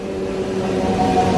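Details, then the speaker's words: Sukup grain dryer's air-system unload blower with the unload running slowly: even motor hum under light load, softening as it eases back; it senses little load and slows itself to save electricity, rather than bogging from being overfed. Normal blower motor at reduced speed. "The motor there, for the guys that caught that, is slowing down. It sounds like it's bogging and I'm feeding it too fast. It's actually sensing that there's not much load on it, so it's slowing itself down to save electricity."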